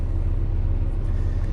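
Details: Truck diesel during pre-trip in-cab inspection, just after key-on and startup: deep, steady idle with an even low throb, no knocking or misfire; oil pressure and coolant temperature rising to normal range, no warning lights.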